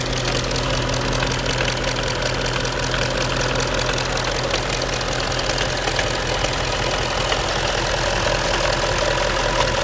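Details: Audi A8 4.2 TDI diesel: dull, fairly regular knock about two to three per second over the idle clatter, from the right rear part of the engine; engine knock, source unidentified.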